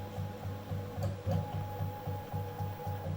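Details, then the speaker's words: Bulkman3d QueenBee CNC stepper motor tried on DM542 and stock drivers, motors swapped, one new motor: a soft rhythmic pulsing hum over a steady whine, missing steps on all axes. Owner suspects Mach3 config or controller, not drivers or motors. "this is the motor it's like missing steps it's not just this motor all the motors are like that"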